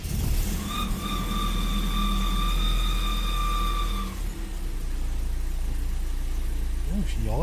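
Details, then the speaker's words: 1991 BMW E36 318i, M40 engine, 230,000 km, first start after 10 months sitting; fired straight up, deep idle with faint whine, sitting higher than normal and a bit up and down: high idle. "she idled a bit higher than what she normally does. She fired straight up though. It's a bit up and down."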